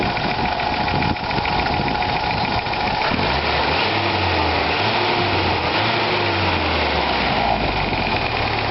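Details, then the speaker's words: 1982 Toyota pickup with a 22R engine, assumed over 300,000 miles, warm at operating temperature after a water pump replacement: steady, even idle and revs with the rattle gone and only a long-standing faint valve tick; no pump leaks; normal warm idle. "But yeah, it seems good. No leaks at the water pump."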